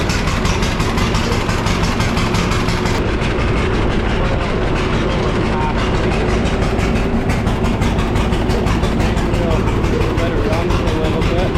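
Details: John Deere D two-cylinder tractor after replacing a blown head gasket and repairing rusty fuel tank, previously backfiring: slow, heavy, even popping idle with no backfires; running properly.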